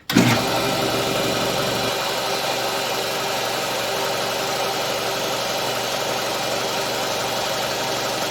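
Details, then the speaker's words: Oil-bath air compressor after repair, head unit remounted on the tank, filmed weeks after the repair and break-in with regular use since: quick start-up surge settling into a steady even hum, no knocking or rattle. Running well. "it's running good it i've actually run it for quite a while and been using it for weeks"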